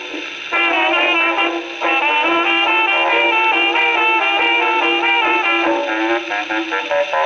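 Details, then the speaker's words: Second HMV No. 4 reproducer, just rebuilt, comparison test on Victrola VV-50 with brand-new mainspring: brass jazz clear and steady, thin bass, no rattle, buzz or blasting on loud notes; sounds like a decent reproducer. "Victrola 50, the jazz age lives. Well, that sounds like a decent reproducer."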